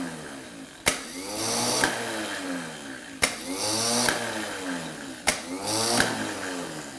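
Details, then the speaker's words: Mercedes W113 280SL starter motor after spraying oil on the clutch, gear and shaft: bench test gives three clean solenoid clicks, each with smooth gear engagement, spin-up and coast-down, a healthy starter running free. "oh look yeah okay now it's engaging all right you can see the solenoid spin the gear out and that's how a good starter should"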